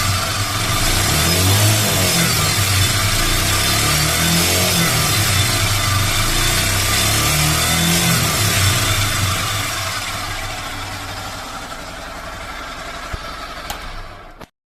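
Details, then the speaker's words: Hero Super Splendor BS4 motorcycle engine: harsh clattering knock over lumpy idle, rising with throttle blip; teardown found two broken teeth on timing chain sprocket and a faulty connecting rod; timing chain and connecting rod knock. "यहां पर यह घाट जो है दो घाट टूटा है टूटा है इसका लिए आवाज आ रहा था टाइमिंग चैन का तरफ से ठीक है"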